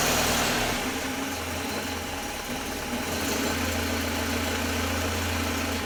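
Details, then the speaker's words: Freshly rebuilt Land Rover 2.25 petrol four-cylinder on first start: lumpy, uneven idle with a hollow labouring beat; ignition timing is way off and needs setting. "And our timing is way off. Way off."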